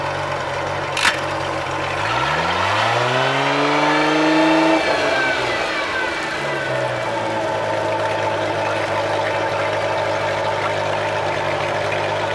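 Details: Tahoe boat engine running in gear after routine service (new spark plugs, oil, filters; compression 169–179 psi); before, it ran as if on 3–4 cylinders. Note climbs smoothly with throttle, then steady even hum; slight minor miss remains. Normal running.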